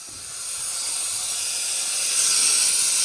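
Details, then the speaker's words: 2003 Ford 6.0L diesel, valve cover off, engine not running: air test gives a steady sharp hiss past failed injector O-rings, far back and center seals gone; causes no-start, usually on hot start when seals and oil are warm and thin. "And there's our leak coming from this injector right here. Big leak. Look at that. A little O-ring will stop these trucks from running, and that's exactly what happened."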